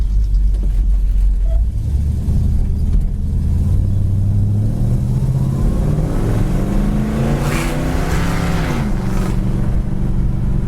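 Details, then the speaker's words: 1969 Plymouth Road Runner big-block V8, driving: deep V8 pulls smoothly, kickdown from third to second, pitch climbing cleanly with no misses, knocks or rattles; normal acceleration. "car sounds great if you can hear that the kick down kicks right down third to Second"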